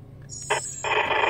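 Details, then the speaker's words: Rexing dashcam's internal oscillator interfering with a ham radio on about 146.550–147.900 MHz, same with three radios and regardless of camera power source: harsh buzzy hiss cuts in, then holds steady over the radio; goes away when the camera is switched off. "turn the camera off it goes away so you know no argument it's the camera causing it happens on a lot of these cameras apparently"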